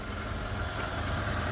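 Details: Proton Saga with about 150,000 miles, off the road for 8 years in a barn, first start after spluttering: settles into a steady, even idle with a low rumble and no knocks or misses; runs normally.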